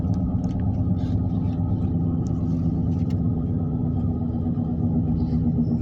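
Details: Constant low roar under the road noise while driving, from the right front wheel with no knocking; louder than the other tires, later confirmed as a bad right front wheel bearing.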